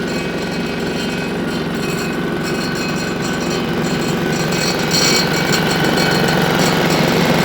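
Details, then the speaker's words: Single-cylinder diesel on a Winget mixer, stood a couple of years without starting, running after repair: even, steady thump about three beats a second, no knocks or rattles, quiet for a single; normal running. "Tell you what, on a single cylinder like that, this is actually really quiet. Usually they put in Europe in, but that's bearable."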